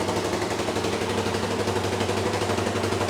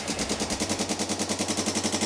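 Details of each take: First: $500 ATV with a JB Welded cracked case, after tightening a completely loose part that caused the valve ticking: steady thump about four a second with no valve tick, starts right up, then shuts off cleanly; healthy idle. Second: Non-running ATV single with JB-Welded cracked case, after carb cleaning including clogged pilot jet, leaking some fuel: sharp fast ticking about nine to ten a second over the idle; valve train tick, loose valve adjuster, valves to be adjusted.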